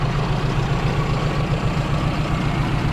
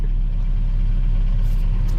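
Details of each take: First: 2001 Dodge Ram 1500, open pipes: loud, deep, lumpy stumbling idle; owner thinks he blew a gasket, cause unconfirmed. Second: 2001 Dodge Ram 1500 5.7 V8, started after repair following a thrown rod: deep, even idle with a steady low rumble and no knocks or misses; running smooth and healthy.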